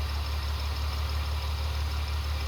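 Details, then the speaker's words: BMW E46 with M52 idles low and uneven with a recurring stumble, misfire codes on cylinders 5 and 4 and power loss; cause turned out to be unmetered air leaking into the intake. "И не след дълго двигателят почва отново да работи толкова лошо, колкото и преди това."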